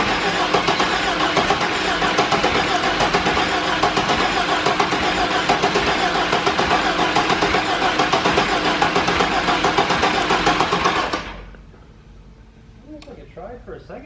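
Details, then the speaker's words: 1998 GMC Sonoma, replacement 4.3 Vortec V6 fitted after a rod knock, first start attempt: starter churns steadily about eleven seconds and never catches; crank no start, owner suspects timing 180 out, distributor incorrectly indexed. "timing at least it doesn't sound too horrible well the only thing i can think of is maybe something with that yeah could be 180 out"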